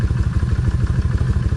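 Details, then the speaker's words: Kawasaki 1600 V-twin idling after sitting a month and a half, running again: deep, loping, even beat about seven pulses a second with its normal tick and no misses; healthy. "Miss time x she's back ticking again and uh I'm real happy to hear that tick trust me cuz when I first tried to crank it I thought she was going to crank up good"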